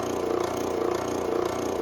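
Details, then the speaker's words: The owner's older airbrush compressor, not the new Gaahleri, running under a card table in a hobby room: a steady hum with a soft, even pulse about twice a second and no knocks or rattles. It is running normally, with a sound judged not too bad. "Not too bad, not too bad. Underneath, you know, not a bad sound."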